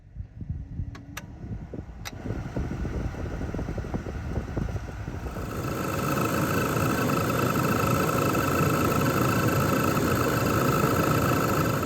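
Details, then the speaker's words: 2002 Chevy S10 blower motor, old, before replacement; fast regular ticking, then the fan rises to a steady whir with a thin tone on top. Noisy blower motor, possibly something stuck inside, not yet confirmed. "So as you can see, we've got a good little noise coming from the blower motor. There might be something stuck in there."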